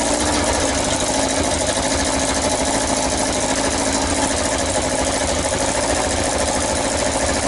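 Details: Yamaha XJ900S Diversion four-cylinder, first start after restoration: even idle with sharp, hissy puffing chuff on each firing pulse; exhaust blowing at header pipe/manifold, owner suspects a slipped gasket or loose fitting.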